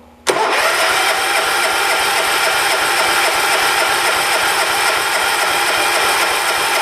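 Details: 1985 John Deere 212 lawn tractor, 145th built, sat six months with diesel mixed into its gas. Tried with choke and a little throttle, the starter spins the engine steadily for several seconds but it never fires. Cranks with no start; cause not yet confirmed.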